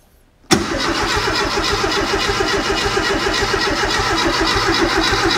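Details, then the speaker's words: Renault R8 Gordini rebuilt engine before its first start, cranked on the starter to build oil pressure. Cranking is steady and even at about four turns a second, with no catches or grinding. Oil pressure OK; normal cranking. "et bien maintenant ce qu'on va faire c'est qu'on va tirer au démarreur pour faire monter la pression d'huile"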